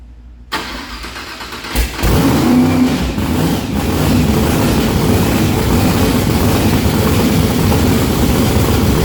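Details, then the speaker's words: Blown, injected big-block on methanol with top lube, first start-up: cranks, then catches into a loud, lumpy, stumbling idle. The front two cylinders are not firing despite new plugs and wires and a compression test; misfire. "So we have a little issue on our hands. All these cylinders are firing except for the front two."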